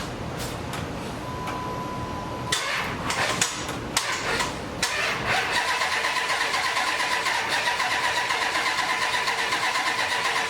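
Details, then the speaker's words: Hemi Durango chassis swapped under a 1954 International pickup abandoned forty years, start attempt: starter cranks unevenly at about eighty beats a minute but never catches; owner suspects battery or connection lacking amps, or something unplugged. "yeah I don't know what that particularly means that battery maybe that connection it's not enough amps"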